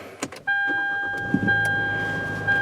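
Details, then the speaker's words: 2014 Hyundai Elantra GT at 35,000 miles, about two years old, stereo off: steady, even power window motor whine with slight load on the way up, no rattles or binding; normal window operation. "And take a look at how this power window operates. I'm going to turn the stereo off here. You can sense a little bit of motor load on the way up,"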